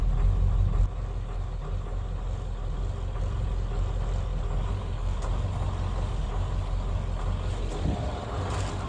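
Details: Ford 7.3 Powerstroke diesel at idle: a deep idle with an uneven, stumbling beat that keeps dropping out of rhythm, a cylinder misfiring at idle.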